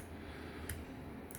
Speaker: I can hear the quiet clicking noise from the each of the five relays themselves, which lets me know that they're uh all the relays are working and wired correctly.